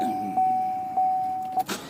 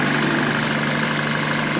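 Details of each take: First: 2014 Chevy Cruze Ecotec, crank no start with no stored or pending codes and fuel pressure about 58-60 psi: starter whirs steadily with a slow beat but the engine never catches; a failed ignition coil pack gave no spark. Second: 2014 Chevy Cruze Ecotec after cleaning the seven-pin coil pack plug with intermittent hot feed, which caused crank-no-start: smooth even idle, steady low hum, no misfire or knocking; coil pack itself was fine.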